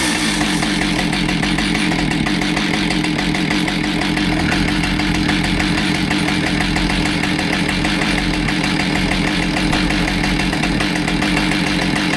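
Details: Husqvarna 572XPG chainsaw after being run over, with a new bar, heated handle replaced and crank judged straight, on its test run; steady high even two-stroke buzz, no hunting, rattles or vibration; running normally.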